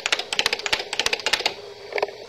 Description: The clicking sound you hear is made by the relays, which are the switching elements of the computer.